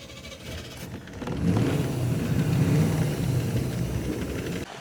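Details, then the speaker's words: 1990/1991 Cobalt boat engine on its first run on the water in years, after exhaust boot and hose clamp repairs: low, lumpy rumble swelling and sagging unevenly over water noise, running rough, cause unknown. "we're headed for the trailer it is running not great um running nonetheless"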